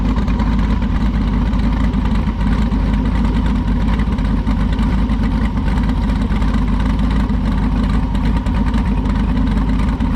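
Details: Jeep V8 restarted: deep, steady idle with an even, lumpy rumble, no knocks or ticks; healthy, later reported with good oil pressure and about 195 coolant temperature.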